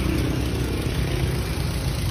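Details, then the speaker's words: Toyota Vios petrol engine idles with a steady low hum and even beat, no longer shaking or misfiring after cleaning a very dirty throttle body; spark plugs and ignition coils were fine and the MAP sensor was cleaned. "nakita niyo naman tahimik na tahimik na hindi na nanginginig yung niyang makina"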